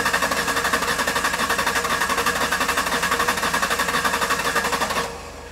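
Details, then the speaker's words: 2005 Ford Ranger 3.0L V6 with flashing check engine light and misfire code, cranking in clear-flood mode (throttle floored, no start) for relative compression test; rapid, slightly uneven chuffing as one cylinder pushes back less, confirming low compression: mechanical issue, rings or valves suspected. "all right so we definitely have got a low cylinder no question so right now we know this this engine has got a mechanical issue"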